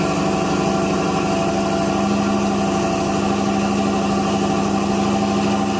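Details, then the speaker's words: 1970 Cadillac Eldorado V8 cold start with a 3-step carburetor, choke set by one press of the accelerator: a steady, even fast idle with a smooth low rumble and no misses or knocks. Pressing the accelerator again drops the idle; normal fast idle on choke. "Now this is a 3-step carburetor. So if I press the accelerator again, the engine idle will come down."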